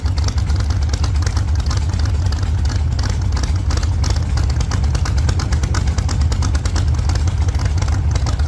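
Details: 1948 Chevy Fleetline small-block Chevy V8, 4-speed, after a fix for push rods breaking on the first burnouts: deep, steady V8 roar held at high revs through a test burnout, no tapping or top-end clatter, sounds healthy.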